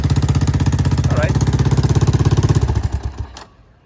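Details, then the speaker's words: Honda ATC 200ES after engine and final-drive oil change and a new spark plug: steady, even single-cylinder idle of about three beats a second, running healthy. "So it's running."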